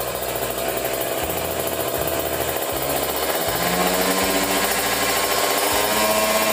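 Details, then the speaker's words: Kawasaki Ninja 150 RR two-stroke with racing exhaust, after cleaning dirty carburettor nozzle that caused severe stutter: crisp buzz climbing smoothly from 1000 rpm idle to 5000 rpm, no stumbling or popping, not running lean; normal rev. "saya coba sampai RPM 5000 Harusnya sih mulus banget ditarik tuh Nah enak ya Nah ini enggak kekeringan cukup ya"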